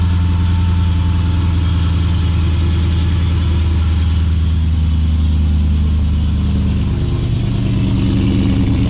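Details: Custom RAM TRX cold start with Stainless Works long-tube headers, high-flow cats and added resonators ahead of the factory mufflers feeding a side exit. Deep, even V8 idle settling steadily, with no manifold tick heard; it sounds healthy.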